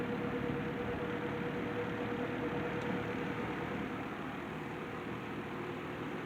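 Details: C&H Whizzer 20-inch box fan with swapped-in motor replacing the faulty GE two-speed motor, running on low: soft even whoosh with faint steady hum, no rubbing or ticking; normal running.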